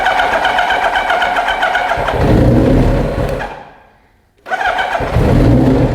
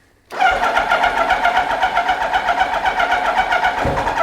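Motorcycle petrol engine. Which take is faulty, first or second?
second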